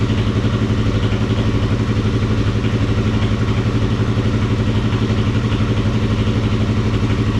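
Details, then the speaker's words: Kawasaki KFX400 single running after crankcase replacement and rebuild, carburetor still leaking fuel, water-pump coolant drain found loose: even, steady thump at idle, no knocks or misses; healthy motor running smoothly. "I want to fire it up again, let it run some more. sounds good. It's a healthy motor."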